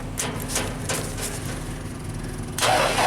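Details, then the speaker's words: JLG 260MRT scissor lift engine cranking sluggishly and unevenly at about three turns per second with no catch, even on jumper cables, then a brief louder whir; slow cranking, no start. Cause suspected, not confirmed. "I'll let it charge up a bit, but still cranking kind of slow."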